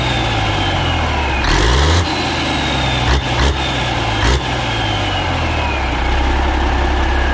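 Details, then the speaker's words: Caterpillar 3406A diesel started after sitting a long time, fed from fuel buckets with the hand primer bypassed and the turbo ring held by vise-grips, run briefly without coolant. A steady, even idle with no knocks or ticks and 50–60 psi oil pressure: healthy. "all right that was pretty cool thing runs really good it sounds really really strong i don't hear any knocking or anything crazy"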